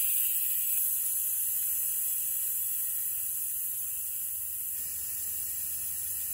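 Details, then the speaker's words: Van AC with the low-side gauge reading in the yellow, which the owner suspects is overfilled: a steady airy hiss fading as refrigerant is bled off the low-side port. The AC fault turned out to be a fuse/relay. "So I'm taking out, but as you can see, you can hear it, you can't hear no more."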